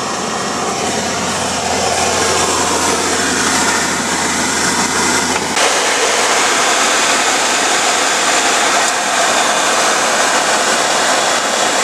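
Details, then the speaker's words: 1949–1954 Chevrolet Styleline fresh-air heater after heater core replacement, 12-volt conversion with original blower motor, engine running: strong, steady rush of air on high over a low engine hum, no rattle or squeal; blower working and putting out heat. "If you can hear it or how well, but that thing is ripping, and it is ripping heat."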